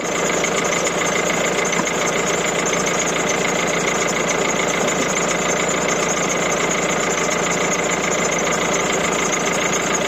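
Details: 1.6 HDi diesel after a starter-motor fuse problem (engine wouldn't start on ignition): steady, even idle with constant hum, no misses, knocks or hunting; engine sounds healthy.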